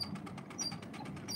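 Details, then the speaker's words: 1926 Victor Victrola VV 8-4 phonograph being wound: short high-pitched squeaks over the winding clicks; dry spring motor squealing, needs white lithium grease. "have to wind it yeah you could hear the squealing that needs to have white lithium grease is needs to be yeah you have to use white lithium grease to get rid of that squeal"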